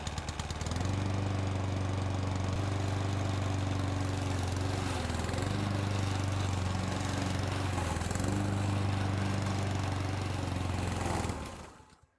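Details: Old Honda IZY HRG466 lawn mower: fires quickly and settles into a steady, even, low drone with no misses or knocks. Normal running.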